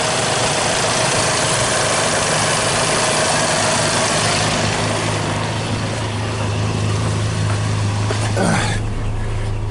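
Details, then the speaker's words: Toyota Tacoma 2.4L, P0401 EGR flow insufficient fixed by cleaning the EGR ports into the intake; at idle with A/C off it idles smooth and steady with no shake, where before it ran rough, shook badly and set the check engine light. "As you can hear, it's idling really smooth. Which has never idled this smooth. It used to shake really, really bad."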